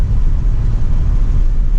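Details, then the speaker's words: Chevrolet Silverado after EGR delete and fixing an exhaust leak: low, steady rumble under way with no ticking or puffing from the manifold; exhaust sealed and very quiet. "that exhaust leak made this thing a whole new animal I swear blue just sounds like a vacuum cleaner though it's so quiet"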